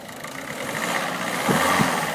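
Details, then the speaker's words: Ford Focus 1.6 TDCi diesel that had its low oil pressure light come on: the light has gone off and oil pressure is back. After an earlier squeaky, tapping noise, it now ticks over at a steady, even idle with light clatter and no knocks; it sounds healthy. "it's died and it sounds quite good again now"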